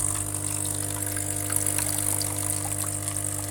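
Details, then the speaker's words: Recently refurbished Saeco Incanto espresso machine losing a lot of water during brewing, leaving big puddles and a soaked rag underneath. Steady pump hum with water trickling and splashing inside the machine, from an internal leak at a failed seal. "on entend que pas mal d'eau qui coule donc le problème c'est que j'ai dû mettre un chiffon en dessous parce que elle est pleine de flotte"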